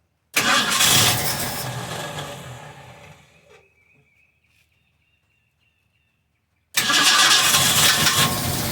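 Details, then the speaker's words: 1971 Mustang Sportsroof V8 (tagged 351), sitting about 14 years, dead fuel pump, running on 50:1 two-stroke gas: catches and runs smooth like a sewing machine, steady even note, shuts off and restarts; sounds healthy. "Runs like a sewing machine. I hope it's got more horsepower."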